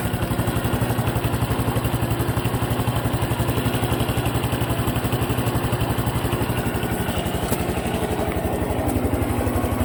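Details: Honda Cub Pro single-cylinder engine at steady idle after an oil change meant as a countermeasure, about four beats a second with a light clatter on each beat; abnormal engine noise persists, source unclear.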